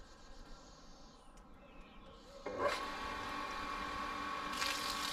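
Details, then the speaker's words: Newly installed booster pump on a water tank that earlier kept tripping, fixed by bleeding a trapped air bubble. It now starts after about 2.5 seconds into a steady, even whirr with no tripping. "oh works it works it works it works guys I'm so happy"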